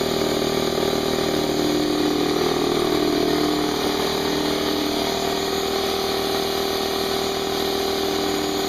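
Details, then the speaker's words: Brand-new Harbor Freight Central Pneumatic 68127 29-gallon 150 psi 2 hp dual-piston compressor on first start, tank drain open (no load), 10-minute break-in after oil change; steady even hum with smooth pump pulsing, no knocks or rattles, pretty quiet; normal running. "all plugged in let's turn it on it's actually pretty quiet"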